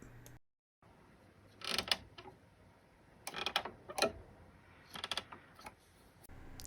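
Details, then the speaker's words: Casio electric keyboard keys making short, dry creaks and squeaks like a creaking floor when pressed, from dry key contact edges; recorded before fixing them with lubrication. "so this video will show you how to fix a squeaky key problem and that's coming up next here's how the key sounded before i fixed it"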